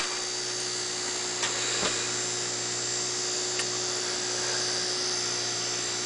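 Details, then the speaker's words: Fischertechnik DC motor driven by a Raspberry Pi 1 Model B+ through a transistor with PWM: thin high-pitched whine with slight wavering and clicks; supply not stable, with the LED off, so the motor is starved. "so it's not what you call quite stable"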